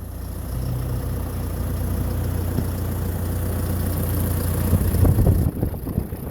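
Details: 2012 John Deere 6230 tractor diesel: steady, even idle with a low, regular chug and no knocks or misses; engine sounds healthy at idle (tractor noted to have bad transmission).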